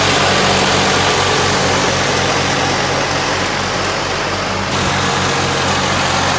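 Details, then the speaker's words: Case 446 "Big Wheel" lawn tractor twin, barn-stored several years, after removing carburetor air-filter screws that fell in and held valves open: even steady chug, about 230 beats a minute, no misses or knocks; normal running. "That's a slick little lawn tractor. Well, my friends, there you have it. Another successful Will It Start? Yep, it did."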